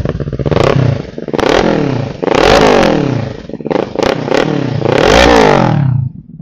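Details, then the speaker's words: 2011 Kawasaki Versys 650 twin, 139,000 km, Leovince exhaust: crisp note rising and falling through quick blips, returning cleanly to idle; healthy engine. "okey bunyi enjin semua pun cantik lagilah beli pakai saja."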